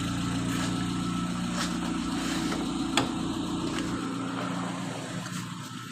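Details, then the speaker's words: Chevrolet Spark after electronic throttle body service for an idle speed complaint, AC switched on: small petrol engine holds an even, steady idle under AC load with no hunting or dips. No other problems. "വണ്ടി ഇപ്പൊ AC on ആണ് ഇപ്പോഴും correct ആയിട്ട് നിൽക്കുന്നുണ്ട് വണ്ടിക്ക് വേറെ പ്രശ്നങ്ങളോ കാര്യങ്ങളോ ഒന്നുമില്ല"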